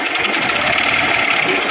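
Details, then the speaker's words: Honda CB Shine 125cc motorcycle, previously worked on but noise not cured, running: fast, harsh metallic clatter over the single. Engine knocking, condition very bad; main bearings suspected, engine to be removed and opened. "K engine করেছিল, but আওয়াজ complete হয়নি, ফের গাড়ি successful হয়নি।"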